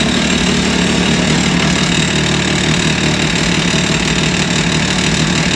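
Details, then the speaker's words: 2023 Can-Am Maverick X3 DS Turbo (135 hp), oil change, start-up right after the oil refill: rough idle with loose metallic rattle and knocking over the engine note, then evens out; cause unclear, knock went away. "again that sounds weird okay well that definitely evened out but I did not like the sound of that that was weird so if you guys heard that when I first started I don't know man that didn't not sound good some rattling all kinds of things but it definitely evened out"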